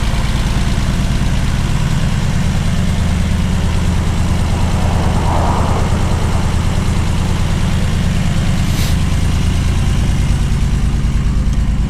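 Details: 1979 BMW 633CSi back on the road after 5 years, X-pipe near-straight exhaust: low rumbling exhaust note holding a steady beat for twelve seconds with no stumble or miss; clean normal idle.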